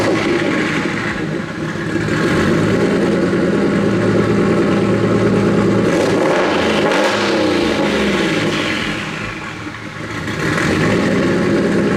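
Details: Nissan S15 after fixing its problem: starts cleanly, settles to an even idle, revs rise and fall smoothly without misfire; owner hears a couple of exhaust leaks under the car; earlier heavy smoke now mostly gone.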